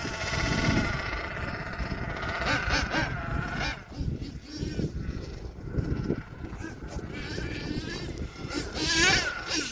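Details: HPI Savage XL twin nitro truck with Twinzilla kit: two buzzing engine notes wander apart, one climbing high while the other lags and catches up; motor 2 out of sync, unmatched RPMs, before linkage setting and tuning.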